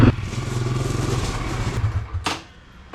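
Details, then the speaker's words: 2021 Honda CRF250F air-cooled single, fully warmed up ("good and hot") before its oil change: quick, even putter with no knocking or rattles, then cuts out. Sounds healthy. "he is good and hot now so one thing about an air-cooled bike they heat up fast"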